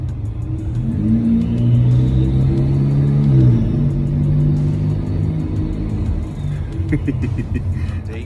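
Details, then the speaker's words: VW Passat 1.8T with newly installed CTS 3-inch turbo downpipe, intake and JB4 tune, fully warm, heard in a garage: deep exhaust rumble swelling on blips with a faint airy turbo whistle; slight idle pulse heard. Normal turbo whistle. "see if we can get a little bit of the whistling sound coming out of the garage i love that sound"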